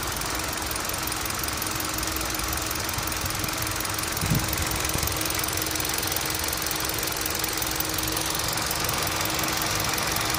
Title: Knocking Sound from Engine